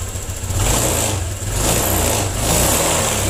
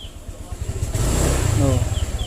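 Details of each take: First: 2020 Honda Vario 125 after a throttle-hesitation fix with an ignition-key reset procedure: revs swell cleanly and drop back without stumbling; the throttle responds crisply and pulls smoothly, no longer stuttering as before. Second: 2020 Honda Vario 125, a new scooter, with a pickup-hesitation complaint: the engine putters low, then after the throttle twist there is a lag before revs climb and it pulls; it will not pull straight away and struggles on hills.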